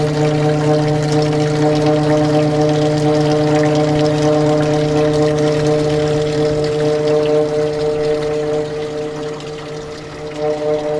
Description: Evaporative cooler, or swamp cooler making VERY Loud noise, and presents vibration when operational.